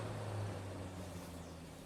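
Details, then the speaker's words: Fiat Tipo radiator cooling fan after cleaning, lubrication and brush service to fix noisy, heavy fan: smooth, steady whoosh of air with even low hum, no rattle or plastic noise, spinning faster; normal cooling fan operation. "e ela não faz barulho nenhuma é só o vento mesmo e bastante vento mesmo"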